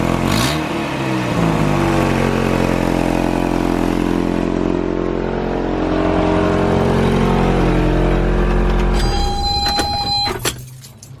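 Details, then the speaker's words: 1986 first-gen Toyota 4Runner 22RE at idle, exhaust manifold already replaced without fixing it: loud, raspy idle with rapid chuffing about four times a second from an exhaust leak at a broken Y-pipe. "all right so yeah as you can hear there it's got a pretty gnarly exhaust leak and I can smell it right now"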